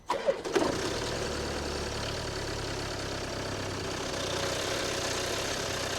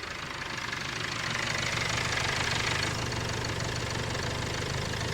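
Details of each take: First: Land Rover Discovery Sport diesel, poorly serviced, cold start: cranks and fires into a busy idle with light metallic chatter, timing chain rattle, not engine knock. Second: Land Rover Discovery Sport diesel, not warmed up after under half a mile, temperature gauge at minimum; steady low thrum and even clatter at cold idle, no timing chain rattle: sounds healthy.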